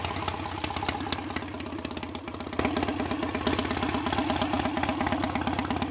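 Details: BSA A65 Spitfire Hornet twin after ignition timing was advanced, probably a couple of degrees, having previously hunted, raced or stalled: even tick-over with steady beat, briefly picking up on a blip, then settling to a smooth idle; acceptable and much improved.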